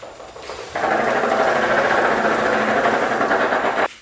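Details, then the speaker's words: 2007 Honda CBR600RR, 11k miles, with an insanely tight chain on a test ride: a few seconds of harsh rubbing and clanking. Owner suspects the chain tightness; not confirmed. "It does not sound good, but I took a risk, assuming that it's just the tightness of the chain."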